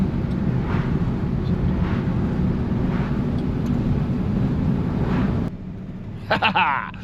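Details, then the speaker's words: 1955 Chevy Bel Air "Lucy" V8 cruising on damp roads after a no-run problem was fixed: steady low rumble under road noise, no misses or knocks, then a brief rattle (glass items jingling inside). Pulling smoothly, normal. "Oh, she's running awesome."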